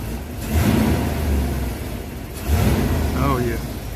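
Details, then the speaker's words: Van engine after a day of repairs: two quick throttle blips rise cleanly and drop back to a smooth idle without hesitation or misfire; motor runs smooth, sounds good. "Oh Motors run smooth sounds good give her just a little bump here"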